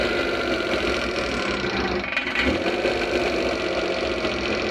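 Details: Suzuki F6A engine that the owner says overheats; running after the radiator and oil were checked: a fairly steady but busy, slightly uneven clatter with no clear knock rhythm. Suspected head gasket leak.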